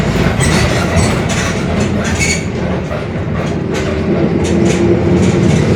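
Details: Mercedes-Benz OF-1721 Bluetec 5 city bus, 2021 build, Mascarello GranVia Midi long body, onboard while driving: heavy rumble with a faint steady hum building underneath, a growling rear differential.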